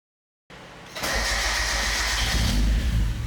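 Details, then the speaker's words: Turbo Mazda Miata after replacing the wrong starter and cleaning the threads with a tap and die: short brisk crank that catches almost at once and settles into a steady run. Sounds completely different from before. Normal cranking and start. "yeah so much better that old starter definitely wasn't for this car cuz it that sounded completely different"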